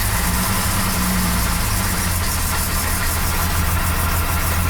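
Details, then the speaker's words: 1975 Jaguar XJ6 six-cylinder daily driver after exhaust manifold leak repair, at idle: steady even low rumble with no ticking or puffing; no exhaust gases felt at the manifold. "Sounds nice and quiet. Let's go out and see what it sounds like."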